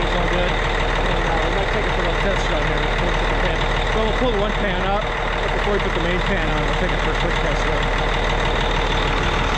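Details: Cat 657E scraper, Caterpillar C18 diesel idling after rebuild from oil loss via failed air compressor; gauge shows 71 psi oil pressure, 20% load, 0 psi boost: loud even clatter, steady beat, no knocks or misses; normal idle.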